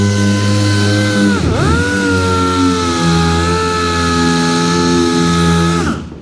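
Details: New air sander replacing a worn-out one during bodywork on a 1966 Chevy Impala; steady high whine holding pitch at full speed, dipping briefly under load, then spinning down smoothly; running strong and healthy.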